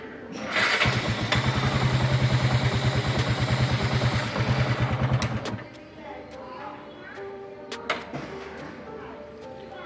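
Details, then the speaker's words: Motorcycle battery voltage dropping fast with fog lights on; starter held deliberately to load it, cranking about five seconds at roughly three sluggish turns a second without firing; weak battery, morning no-start history. "आपने देखा कि हल्का सा load डालते ही voltage एकदम से ज़्यादा drop हो रही है। तो ये इतना नहीं होना चाहिए। इससे पता चलता है कि ये जो इसकी बैटरी है थोड़ी सी वीक है,"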